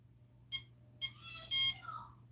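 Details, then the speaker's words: Castle Mamba Micro X2 ESC with a 1010 4400kv motor and SLR300 receiver in a Typhon Grom, during troubleshooting of receiver binding: sharp beeps about every half second, then a longer tone; the ESC keeps beeping and never arms. "Turn it off. Turn it on. We're still beeping."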